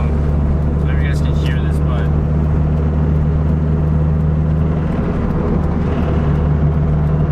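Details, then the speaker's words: Toyota MR2 Spyder after the engine blew at the track, driven slowly with hazards on at about 2000-2500 rpm: heavy rough low drone, owner feared a bent rod. "sharing like you're really bent sound just really bad so I'm just going slow as my head that sound going slow always slower that hazards on"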